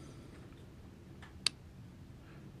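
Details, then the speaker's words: 50 hp Mercury outboard: one sharp click at key turn then silence; starter solenoid clicks but doesn't make contact, 12.95 V battery confirmed, solenoid bad and replaced. "hear click it on the solenoid but it's not making contact"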